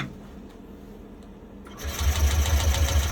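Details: Yamaha Nmax turbo (TechMax) with YECVT, after resetting transmission and clearing DTC 18P1883 on a scan tool: starter cranks in a fast steady churn about a second and a half but the engine does not fire.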